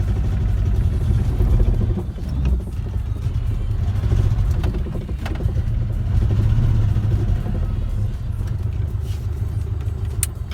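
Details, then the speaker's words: IZH Moskvich 412 engine with good fuel, new spark plugs and ignition leads, clean carburetor: steady even low rumble, no knocks or misses; runs very well, idle speed has crept up slightly fast. "Бензин хороший, свечи новые, бронепровода новые, карбюратор чистый. Он из-за этого работает очень хорошо, и холостой ход задрался."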